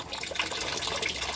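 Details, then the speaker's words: Washing machine switched off with the tap opened: water keeps hissing and splashing into the drum on its own, the water inlet valve not shutting off; pressure switch, sensor hose or control module are other suspects. "sudah masuk sendiri. Ini mesin putih belum kita hidupkan. Apa penyebabnya?"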